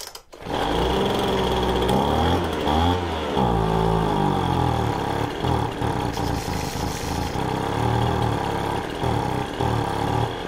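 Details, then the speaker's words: Poulan Pro 25cc leaf blower, cold shop, fuel filter disconnected in tank, possible dirt in carb: fires after a short crank on primer, then hunts and surges and won't settle; not drawing fuel from the tank, fuel starvation. "i believe that uh just priming this up it is uh it's getting fuel into it just enough to start and run for a few seconds but it's not actually uh pulling fuel through"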